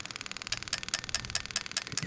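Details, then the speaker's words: Brand-new plug-and-play harness fitting a 1996-97 Lexus LS400 non-VVTi V8 into an IS200 with J160 6-speed manual, on test: crisp, even ticking about three clicks a second, cylinder eight injector firing cleanly; all eight injectors and coils working, fuel pump running on crank signal. "clicking away and last but not least number eight and you can hear that clicking away all right so we're happy with that the coils are working all eight injectors are working as they should do"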